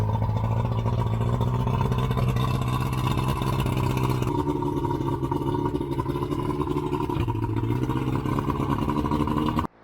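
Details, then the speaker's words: Yamaha 115 outboard test run on flush ears after blown head gasket replacement (previously bogged down when throttling up): steady, smooth low drone with a slight pitch step, no bogging or misses; normal running. "All right, that is how you fix a blown head gasket on your outboard engine. Yamaha 115, running good."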